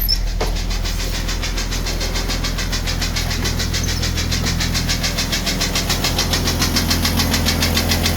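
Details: 1999 Jeep Cherokee XJ with 257k miles; loud tapping appeared after a jump start with a boost pack, persisted once warm in 20-35°F winter, oil pressure fine, loudest at idle and speeding up with rpm. Sharp regular tap about 3.5/s; broken piston skirt.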